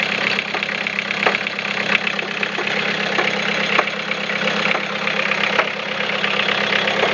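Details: Toyota Caldina 3C-TE diesel at idle: a clattery background with faint, irregular sharp knocks about once a second from the piston area, carrying through the whole engine. Engine knock.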